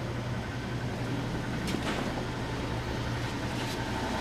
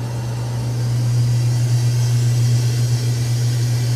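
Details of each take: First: Antique Frigidaire W-5 refrigerator after charging, cold control hooked up and running: low steady hum from the belt-driven compressor with a soft even rhythm, no knocking or squeal; running quietly and healthy. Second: Antique Frigidaire W-5 refrigerator just charged, refrigerant flowing: deep steady drone with slight throb as the compressor labours under heavy load, 150 high side and 50 low side, pulling down the whole heavy evaporator; motor may stall.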